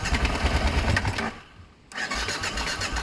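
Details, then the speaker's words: Kawasaki ZL600 Eliminator or BMW F650 Funduro, after cleaning the coil wire: fires straight up, short blip then even, steady idle firing cleanly with no misses; normal start. "so I cleaned the the wire on this coil I forgot to do it and it actually fired straight up it was cake"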